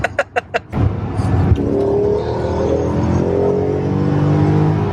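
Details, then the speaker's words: 2003 BMW E39 M5 V8, 226k miles, with exhaust modification (possibly thin-wall headers): a few sharp clicks, then a clean, strong pull with smoothly climbing note, no misses or rattles; healthy acceleration. "You can hear it breathing so well. And it's not even induction. It's just the exhaust is, I don't know if they're thin wall headers or just the enhanced airflow."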